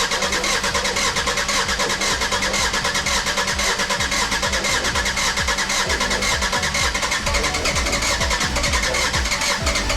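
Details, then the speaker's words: Jeep WJ 2.7 CRD (Mercedes OM612 diesel), cold start with injector leak-off into collector bottles: loud, uneven clatter with a lumpy beat near two per second; injectors one and four overflowing, leaking injectors causing misfire and white smoke. "what okay guys so I can see from this that number one and number four is actually overflowing a"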